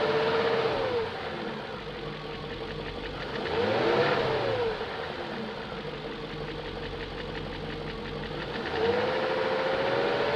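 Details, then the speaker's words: 2001 BMW E38 740i running after Vanos units rebuilt, Vanos distributors and intake cam-end gaskets replaced: light fast ticking steady about three per second; lifters checked, spark plugs tight, no codes, top-end tick, cause not pinned down. "and i still have that ticking sound i checked all the lifters i have redone the bannos"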